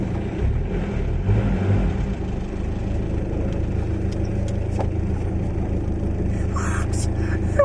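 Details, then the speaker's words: Engine idling after a successful power steering pump rebuild: steady low rumble with no whine, the pump quiet and healthy. The owner suspects the earlier whining came from the pump running out of fluid, since it had been leaking fluid everywhere. "but that sounded great didn't go whining noise oh my gosh the whining noises must be because it ran out of fluid"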